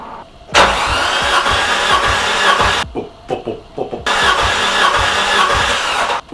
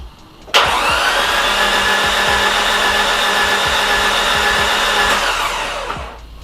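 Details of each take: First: Nissan S13 200SX CA18DET with suspected blown head gasket, cranking with the plug in: two bursts with a steady even pulsing rhythm showing good compression on cylinder 3, unlike the weak cylinder 4. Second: Nissan S13 200SX CA18DET cranking on cylinder 4 test, suspected blown head gasket with water everywhere: steady starter whine with faint soft pops, very little compression; possibly bent valves, cracked head or broken block.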